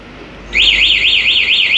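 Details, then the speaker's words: Venom alarm installed on a Suzuki Nex 2 fuel-injected motorcycle, locate button pressed to find the bike in a parking lot: loud electronic siren sweeping up and down about three times a second; locate alarm working normally. "ini lonceng ini buat kamu lonceng tuh buat nyari apabila motor disimpan di parkiran tapi gitu ya"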